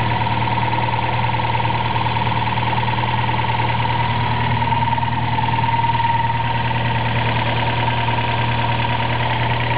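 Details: Toyota 4AGE small-port with T50 gearbox, idling just after a clutch replacement: thin high whine over a faint regular pulse; weird noise, not the water pump or alternator bearings, cause unknown.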